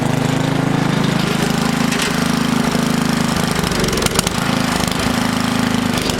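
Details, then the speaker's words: Old garden tiller, owned over 15 years, that had apparently died, started with the throttle cable bypassed and throttle worked by hand: choppy single-cylinder chug about three beats a second with uneven stumbles. Rough running; owner smells a mouse nest near the muffler, cause unconfirmed. "it's running pretty rough smells like there's a mouse nest break the muffler area but she started she's going to be fine"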